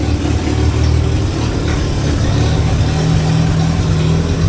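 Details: 1963 Hillman Super Minx just started after a new water pump, radiator and rebuilt fuel pump were fitted, with the ignition light still on: steady, even low four-cylinder idle with no knocks or misses; it runs normally.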